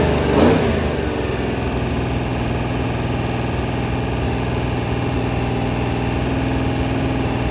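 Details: Freshly rebuilt 426 Hemi crate V8 (new heads, intake, pistons) on a run stand during flat-tappet cam break-in at 2400–2500 rpm, 32 degrees timing, 150°: smooth, steady fast idle with even low rumble, no ticking or knocking; clean break-in.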